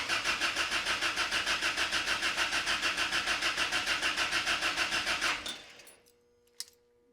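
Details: Ram 50 with Toyota 22RE engine swap, fuel pump relay bypassed at diagnostic port and pump heard running: steady starter whirr about three turns per second, never fires; cranks but won't start, possibly too little fuel in tank.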